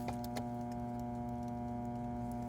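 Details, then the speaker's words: Jacuzzi hot tub with an FL1 flow error, not heating, side panel off: steady electrical hum with a fixed tone and no water rush. The circulation pump is humming but not pumping water. "we got the side off and right away I could hear the pump humming"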